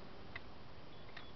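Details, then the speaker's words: 1998 Isuzu Rodeo 3.2 EGR valve control side grounded by hand: two crisp clicks as the solenoid opens. Current ramp of about 1.5–2 A is good, so the windings and solenoid are fine, but the position sensor still reads 2 V. "there's no problem with the windings and the solenoid so that's not the problem and we could hear it clicking and it was opening"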